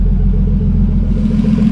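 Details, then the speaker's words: Turbo BMW E30 on E85 with new fueling table, warming: steady even idle, smooth low rumble, no knocks or misses; sounds good though AFRs still a bit high (lean side). "It sounds good. Okay, so the AFRs are still a bit high."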